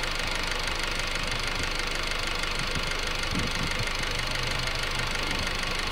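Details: 2008 Honda Civic EX petrol engine idling: steady hiss with faint knocking about three beats a second, weird noise heard from the rear; owner also hears it at other times; unidentified.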